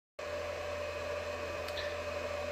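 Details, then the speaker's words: Alinco DM-30T switching power supply, before its fan is replaced with a 60mm 2000rpm silent fan: steady loud fan whoosh with mid-pitched drone and low hum; loud cooling fan noise. "as you can hear the noise of the fan is pretty substantial"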